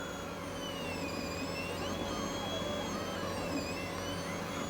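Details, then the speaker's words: New Bambu 3D printer printing a skirt and purging old colour: quiet steady fan hum with soft stepper whirs sliding in pitch, about as loud as it ever gets, inaudible a room away — normal printing noise. "purges out the old color. So that's as much noise as it ever makes. Now I'm upstairs here, so in the bedroom, which is a room away, I can leave the door open, let this print. It doesn't bother me at all. I can't hear it."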